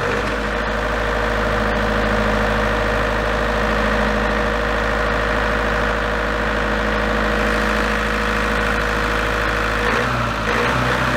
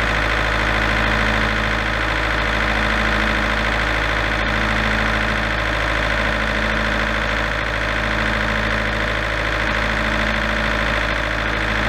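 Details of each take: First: Large diesel generator set from auction, with the engine throttle adjusted while running: a steady note for about ten seconds, then it cuts out with a frequency error. Engine speed is thought not to be the cause. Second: Large auction-bought diesel generator, engine previously repaired, run after adjusting the internal potentiometer toward 240 V (earlier error shutdown after about 10 seconds). Steady, even drone with electrical hum for about twelve seconds, then spins down.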